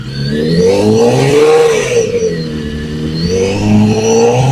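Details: BMW HP4 with Akrapovic slip-on exhaust, about 89 dB at idle on a decibel meter: the engine is blipped up and settles back twice, a smooth clean rise and fall with no knocks or rattles; healthy.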